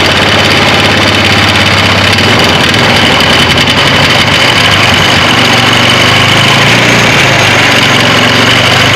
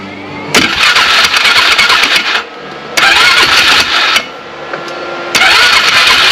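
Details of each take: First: 2009 Polaris Sportsman 500 ATV just after replacing the driven clutch and belt: steady even drone with a smooth rise in load and no slipping flare or chatter; the belt drive engages normally. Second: 2009 Polaris Sportsman 500 ATV, belt cover off: engine flares in repeated loud bursts that drop back under load as the belt slips; driven clutch rub blocks worn completely off.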